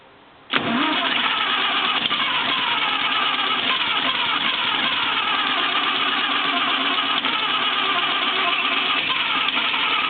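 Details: 1934 Morris 10 convertible flathead engine, 6:1 compression, cranking with oil pressure, spark and fuel: steady, uneven churning that never catches; compression leaking past burnt valves, confirmed on teardown, blamed on unadjusted tappet clearance.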